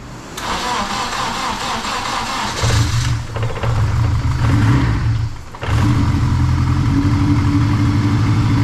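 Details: Honda 8th-gen swap engine, first start after dry crank to oil the head, built from unknown rods and pistons with sanded rings from the blown engine: cranks, catches, blips, settles into fairly steady low idle, no obvious knock; runs healthy, valve adjustment planned.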